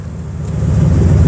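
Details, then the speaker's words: 1957 Dodge D-100 315cid poly-hemi V8 after rebuild (new pumps, timing chain, plugs, magnetic pickup ignition, repaired exhaust): deep, steady low rumble building evenly, some mic wind; running smooth and healthy. "Has a beautiful sound to it, nice deep tone, love that."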